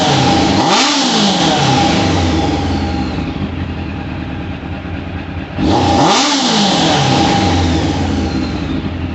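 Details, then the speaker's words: 1998 Suzuki Katana 600, carbureted, warmed up with the choke off: two crisp throttle blips return to a smooth, even idle. Pilot jets seem good, but the rider wants it slightly richer and may raise the main jets. Normal revving. "sounds good looks good I'd like to see a little black smoke I like to have them a little bit on the ridge side"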